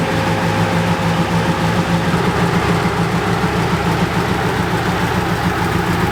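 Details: BMW K100 cafe racer, after off-camera repair of the no-start problem: smooth steady low idle with an even beat, no hunting, ticking or stumbling; idling cleanly.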